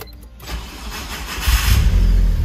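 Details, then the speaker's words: Mitsubishi Evo 4 fitted with an Evo 5 ECU, MAP sensor and vacuum reconnected after an idle-stall fix: harsh uneven starter whir during a short crank before it runs; owner says the starter is going bad. "starts up i know the uh starter is going bad that's what that noise was"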